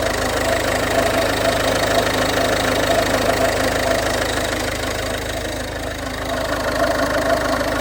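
Steady diesel idle with a light, fairly regular tick about twice a second on top; it points toward the alternator pulley or alternator. Cause suspected, not confirmed.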